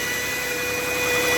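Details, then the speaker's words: 2007 Chevy Equinox engine at idle: steady high-pitched whine of constant pitch over a quiet idle, from the alternator or adjacent idler bearing; fixed by replacing alternator, idler pulley and belt. "so the other day my wife went to start her 2007 Chevy Equinox and she heard a whining noise coming from the engine so we're gonna start it up and listen for it there it is and it's coming from either the alternator or the idler bearing next to it"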